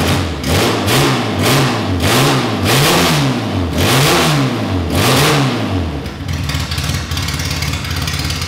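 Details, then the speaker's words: Classic Mini race car, Specialist Components 1293cc engine with big carb, first start from cold with no exhaust or breathers fitted: sharp blips rising and falling quickly around a crisp, even idle; snappy and free-revving. Healthy free revving. "right so that was awesome to hear the engine running it sounds really Snappy when you wrap it up it's really free revving and um sounds like a race engine should"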